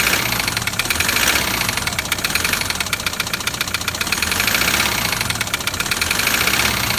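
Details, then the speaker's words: Toyota Land Cruiser LC120 diesel at idle: loud, sharp metallic tapping locked to the idle rhythm over the diesel clatter, believed to be a piston tapping the cylinder head; pistons possibly cracked, engine all but dead from neglect. "so with this one i heard the same noise straight away you know there's a number of things it could be but that loud tapping i straight away believe to be the piston tapping on the head"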